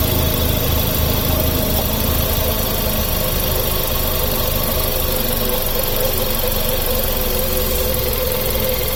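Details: Engine idling evenly with a thin high squeak riding steadily over it; accessory belt still squealing after a new belt and tensioner were fitted, cause not yet found.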